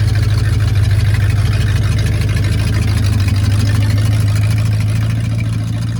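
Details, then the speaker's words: 1968 Ford Torino V8, first drive after 20 years sitting in a barn: even, throbbing idle with a strong low drone, steady but a touch fast; the carburetor idle needs adjusting down. "Sounds like it's idling a little high. I need to adjust the carburetor."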